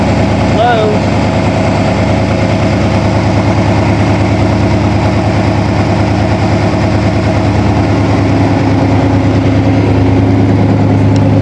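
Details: 1987 Toyota Supra MKIII with swapped 350 Chevrolet Vortec V8 and 700R4, restarted after rebuild with distributor cap corrected 180° and valve lash reset, open unwelded exhaust: loud, even, deep rumble, steady beat, no knocks or misses; normal running.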